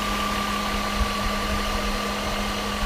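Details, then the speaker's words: Mercedes W126 560SEL M117 V8 with CIS after jump-starting, with a poorly set fuel distributor from another car, idle control valve readjusted, cylinder 2 weakest, not yet warm: even, steady, smooth idle with no misses or surging, a big improvement. "Now that is a good running M117 right now. Yeah, look at beautiful."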